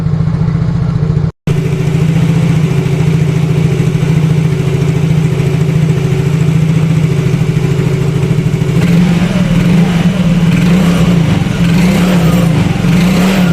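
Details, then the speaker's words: Yamaha Mio Fino 125 fuel-injected scooter after adjusting the idle speed control (ISC) via its hose: steady, even single-cylinder idle holding speed without throttle, no hunting or stalling; normal idle. "coba nyalain jadi ini enggak saya pegang ya untuk e kondisi gasnya tuh ini normal"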